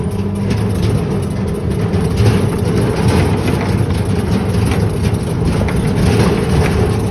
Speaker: That is the only thing that makes a lot of noise. It just rattles the whole time.